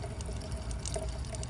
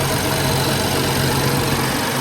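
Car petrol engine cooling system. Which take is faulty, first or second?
first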